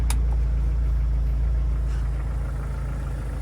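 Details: 1998 Jeep Wrangler at first start after replacing its 30RH transmission, which had been flaring and slipping in 3rd gear: smooth, even low idle, no ticking, knocking or whine. Normal idle.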